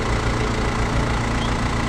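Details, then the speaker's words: Mahindra Scorpio diesel after water pump replacement and coolant refill: even idle, smooth low rumble with no knocks, squeals or misses; engine running cleanly after repair. "दोस्तों finally हमारी गाड़ी बन गई है water pump change हो गया है और भैया पानी दाल रहे हैं चेंज करके गाड़ी स्टार्ट हो चुका है"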